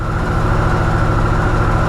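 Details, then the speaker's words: Brand-new Harley-Davidson Sportster S started right up after charging its battery for a few minutes (drained by the key fob; owner thinks the battery is going bad): strong, even, lumpy idle with steady low pulses and no misfires; normal. "started right up well I guess my battery's going back but regardless this is a brand new bike should not be going this bad period"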